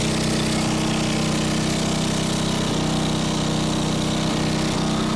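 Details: Small single-cylinder engine salvaged from a junk go-kart, on its old carburetor: steady, even beat with no misses or knocks. Sounds good and idles great, though it struggles once the gas is pushed; normal idle running.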